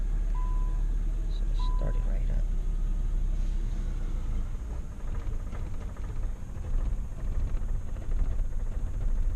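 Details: Starter cranks several seconds, roughly ninety beats a minute, before catching on a 2006 Nissan Sentra 1.8L with no power and rough idle; long crank from a failing fuel pump, before pump replacement.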